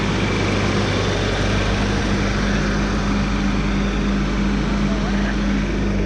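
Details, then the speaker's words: 1997 Toyota Tacoma 2.4L 2RZ-FE after a quick rebuild following oil pump failure: first start, steady even idle with a constant low hum and no knocks, heavy smoke from ATF put in the cylinders. "She's smoking because all that ATF in the cylinders."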